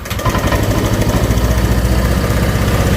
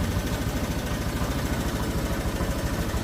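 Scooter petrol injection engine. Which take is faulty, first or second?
first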